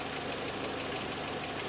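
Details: Renault Clio 1.0 16v with intermittent no-start, during oscilloscope check of crank/phase sensor wire: small petrol engine ticking over evenly at idle, no misses, knocks or surges; normal idle.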